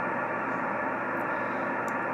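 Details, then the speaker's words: Yaesu FT-1000MP Mark V 200 W HF transceiver on a 75 m dipole: loud unbroken hiss across the speaker range, no stations heard; excessive receive noise, cause not pinned down. "and you can't her to hear anybody talk all you hear is that noise right there"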